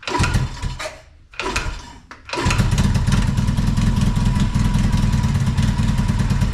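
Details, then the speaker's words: 1981 Yamaha XS650 that sat for years: brief cranking, a pause, then the twin fires quickly and settles into a steady, even idle; healthy start. "wow very nice I was surprised it started that quick"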